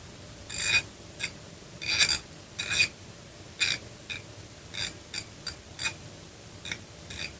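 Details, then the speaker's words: Ratchet wrench after disassembly and repair: crisp bright clicks in uneven bursts as the handle swings in both directions; pawl catching cleanly, ratchet works properly. "Voilà, ça a l'air de bien marcher. On met de l'autre côté. Voilà, on entend bien le clici. Donc ça, il est impeccable."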